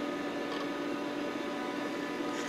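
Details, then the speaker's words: Micron Home MPC with cover off on the bench, first boot since the factory, in the Windows 95 setup wizard: constant, fairly high whirring hum of steady pitch, a super loud PC cooling fan. "This is rather exciting. I'm sorry all you can hear is a super loud fan noise."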